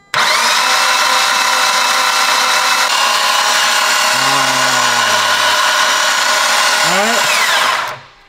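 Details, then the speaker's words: Mitsubishi Evo X brand-new engine cranked with no spark plugs or coils and the fuel pump fuse pulled, to prime oil before first start: a steady, fast whir with no firing. Oil pressure builds to about 40 psi. "no there's no plugs or coils all right we got jared here he's in the inside he's gonna crank listening over and i'm gonna see if we build any oil pressure"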